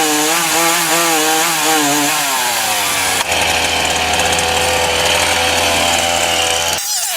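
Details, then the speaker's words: Titan TTL759CHN petrol chainsaw cutting; high whining revs sag and drop in pitch, then the note turns rough and flat as the chain bites, bogging on high revs from a mis-set low-speed carburettor setting. "even with a known problem i.e the carb um the low the low settings incorrect so it's it's kind of yeah bogging down on high revs"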